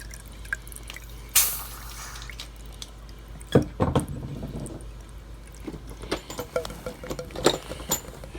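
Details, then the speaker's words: HVAC condensate drain line unclogged (nasty debris removed); water trickles and drips freely into the pan, float switch no longer tripped so the unit is back online with the blower running. "draining, mama. And the unit has came back online because the float switch is no longer tripped."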